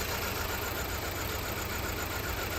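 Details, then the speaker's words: Audi A4 S line after battery replacement, long sitting suspected: uneven, lumpy idle with a stumbling beat, like running on only two or three cylinders; misfire, cause not yet diagnosed. "now we've got a vw beetle sounds like we're only running on two maybe three cylinders"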